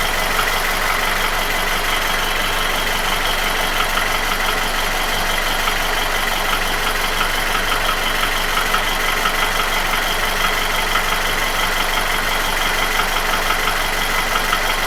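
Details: Nissan QG16DE engine without hydraulic lifters, idling: dull regular tapping a few times a second, felt between cylinders 1 and 2 at front of block; began 1.5k km ago, after piston rings, oil rings, timing chain and guide replaced 2k km ago; oil change didn't help; inaudible when revved. Cause unknown.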